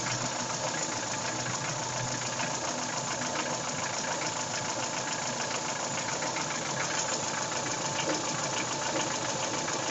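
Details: Daewoo Nexia 16-valve engine at idle with a steady regular metallic knock that doesn't change, a connecting rod / piston knock; replacing the connecting rod and piston group cured the knocking.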